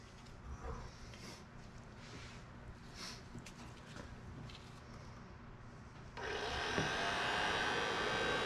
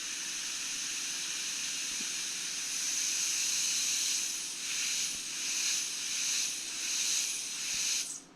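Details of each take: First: Datsun 521 pickup heater box restored and heater core replaced, resealed: after handling noise the blower runs with a steady, even rush of air, no rattle or squeal, strong airflow and no felt leaks; normal blower operation. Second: Datsun 521 pickup heater core under a low-pressure air test with soapy water: loud steady hiss that swells and pulses, then cuts off when air is removed. It is leaking nearly everywhere the tanks meet the core.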